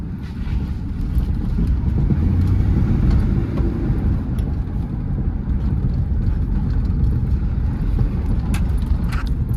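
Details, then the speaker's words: Ford truck test-driven around the block after the blown oil pump was repaired: a low, even engine rumble under road noise with no knocking or ticking. The motor sounds healthy. "I don't hear anything in the motor, which is super nice. I don't think we damaged anything crazy."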